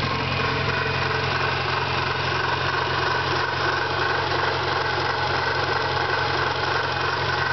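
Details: 1991 Eagle Talon TSI with small 16G turbo and adjustable wastegate at idle: rough, pulsing mechanical chatter over the exhaust; owner suspects a failing pulley, valve trouble or a stretched timing belt, due for replacement in a week.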